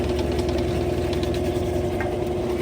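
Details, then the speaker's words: GE GTW460ASJ6WW top-load washer after gearcase replacement for a roar in spin and mode shift code 5: even, constant motor hum with no grinding or knocking, no flashing spin light; spins smoothly. "No flashing spin. We are good to go."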